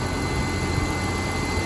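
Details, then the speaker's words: BMW E46 with codes P0492 and P0491, secondary air pump running on a cold start, heard outside; steady whirring hum with a faint constant high tone over idle, before the valve replacement. Normal secondary air pump operation. "all right guys so the pump is pumping i feel it right here"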